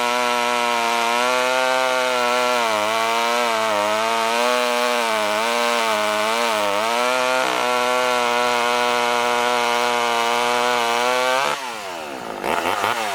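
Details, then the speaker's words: Poulan 1800 Wood Shark chainsaw after carburetor rebuild, hand-filed chain, cutting wood: buzzy two-stroke runs strong and even, pitch dipping and recovering under the cut, revs down cleanly; healthy. "this definitely ain't winning any races and you could probably see the chips coming off of that Locus Chain's good"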